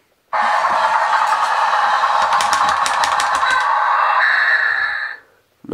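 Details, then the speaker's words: RC Volvo A40D dump truck toy climbing a small hill: high motor whine, then rapid ratcheting clicks as the drive loads up at the top; the slip clutch slips and the drive motors can't carry the truck, likely needing replacement. "you could hear the slip clutch was working there once it got to the top of the hill uh and tried to carry the rest of the truck it just couldn't do it"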